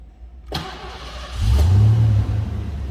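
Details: 1991 Ford Mustang LX convertible, 5.0L high-output 302 V8, automatic, about 46,400 original miles: starter whirs briefly, engine catches at once, settles into deep steady idle with no knocks or misses.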